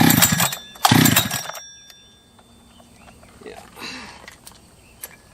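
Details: Jonsered 2071/2171 chainsaw that ran poorly, acting like an air leak with a hot case, after porting: two short sputtering catches under a second each, then it dies; hard starting, possibly flooded.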